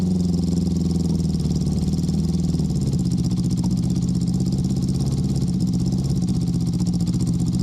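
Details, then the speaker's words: Honda CB650 warm idle after replacing the CDI with Ricks Motorsports units to fix a cylinder 3 misfire: a smooth, even four-cylinder hum with no gaps; cylinder 3 now fires. "And number 3 was the one that wasn't firing. Oh yeah, she's hot now. Yeah, it's firing."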